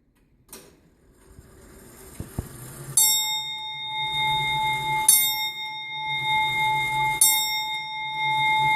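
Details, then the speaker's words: Grandfather/longcase clock being set up: as the hand is moved it gives a very slight clunk while selecting the strike, then three clear bell strikes about two seconds apart that fade evenly. The striking train is working normally. "you'll hear a clunking noise on this one it's very very slight what that is is the clock is actually selecting the strike at the back"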